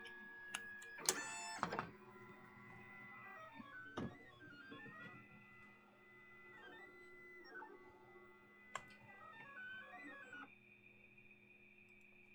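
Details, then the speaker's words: Used Lulzbot Mini 3D printer during a test move: loud stepper whines sweeping up and down with each move in a quiet room. The owner suspects too much current going to the stepper drivers. "it's noisy but I think that's because there's so much juice running to all those drivers"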